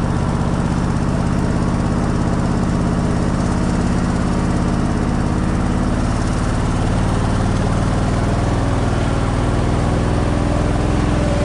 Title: Japanese Beetles are out & Engine Running Rough 6 11 2021